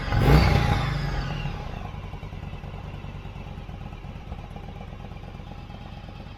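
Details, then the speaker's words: Yamaha V-Star 1100 (XVS1100) after a carburetor cleaning, running with the airbox off: a quick rev settles into a steady, even V-twin idle of loping pulses with no misfire or clatter; idling healthily. "sounds like it's running pretty good for having the airbox off of it."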